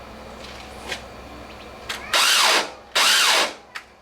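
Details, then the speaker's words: 1996 Cub Cadet starter; two short bursts of high whine spin up and fade with no engine turnover, the starter freewheeling and not engaging the flywheel. "That's the starter turning, but not cranking the flywheel."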